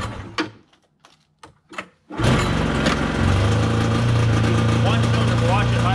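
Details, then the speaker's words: 1990 Yamaha Vmax 540 two-stroke snowmobile, first start after sitting for years: catches after a few pulls and runs rough and uneven. Misfiring, running on two; owner suspects the very old spark plugs, not confirmed. "i'm wondering if the plugs are maybe bad on it they are super old so i better get some new plugs in it before i say anything"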